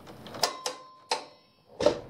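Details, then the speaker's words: Harbor Freight 50-ft air hose reel, about three years old: a few separate sharp clicks as hose pays out with no firm lock; latch catches only in certain positions, ratchet latch not catching. "when you pull it down it's only going to catch in certain positions like right now it doesn't catch"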